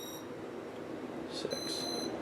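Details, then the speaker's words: Casablanca Four Seasons ceiling fan at power-on: rapid high beeps cycling through all speeds straight to speed 6 without pausing, as if speed button held; owner suspects faulty Intelli-touch control board, unconfirmed. "soon as you turn it on it goes through all the speeds like as if it was in demo mode except it doesn't have a pause when it gets to speed 3 it just goes cycles through them straight up to speed 6 as fast as it goes like if I was holding down the speed button which I was not"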